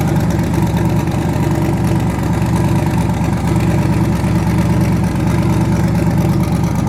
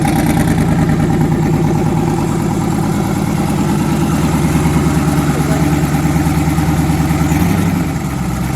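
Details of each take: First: Twin-turbo V8 truck, now running on eight cylinders instead of seven after an earlier dead cylinder was fixed (rockers suspected): deep, even idle with steady lope and no stumbles or skips; normal idle. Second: Twin-turbo V8, first start after conversion, oil pressure near 70 psi, head gaskets done last year: loud lumpy idle with recurring skipped beat in one exhaust bank's pulses; back cylinder dead, running on seven; misfire.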